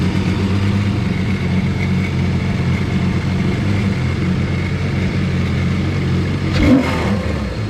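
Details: 155hp Seadoo jetski engine in a converted sail boat, finally running after the fuel pump would not prime, which the owner suspects still needs replacing. Steady even two-stroke drone, brief blip near the end; normal running.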